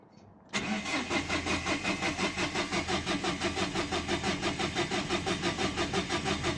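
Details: 2011 Dacia Sandero Stepway, 1.5 dCi diesel, with a rail pressure sensor fault code. Steady rhythmic cranking at about three compressions a second, with no catch or speed rise: cranks, no start. The cause was still unknown and the car was towed.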